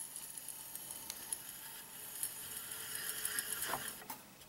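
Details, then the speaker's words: A Quantum ProDrive ELS 170 MB hard drive whose rubber has deteriorated, opened with its heads moved by hand: faint, uneven ticks and scratchy sweeps in a quiet room as the heads scrape and collide with the platters. "that's the sound of the heads colliding with the platters"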